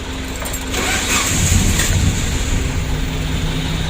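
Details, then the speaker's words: Suzuki Carry 1.5 injection after the battery was refitted, with check-engine light now on and in-tank fuel pump humming: cranking catches quickly into a steady idle; engine starts. "Alhamdulillah untuk mesinnya sudah hidup."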